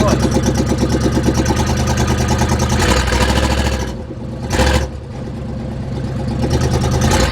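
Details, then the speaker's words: 1976 GMC Vandura 3500 motorhome after work on the distributor contacts and an oil change: ragged pulse that sags and nearly dies around four seconds, then recovers. It is still sputtering and running rough; cause not confirmed. "But if you have an ear for engines, you'll know that it's still running rough. Quite rough. You've heard it sputter."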